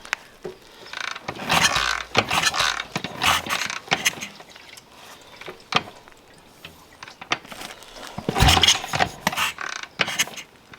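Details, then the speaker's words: BSA 441 Victor single-cylinder being kickstarted after pilot jet and carb orifices were blown out: separate sharp pops between kicks, backfires but never catches; cause not confirmed. "Trying. Is it being a 441? All I hear are backfires and no starts."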